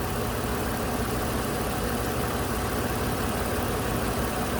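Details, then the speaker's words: 2008 Toyota RAV4 Sport 3.5 V6 with misfire codes P0300, P0302, P0304 on cylinders 2 and 4; now even, steady idle with no stumbles or skipped beats, misfire gone for the moment, current clamp on ignition coil circuit. "unfortunately now though it's running smooth again it's not misfiring again"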